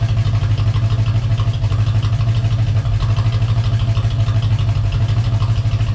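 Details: Corvette V8 being revved after Hypertech chip install: quick even tick over steady rumble, keeping pace with engine speed; lifter tick.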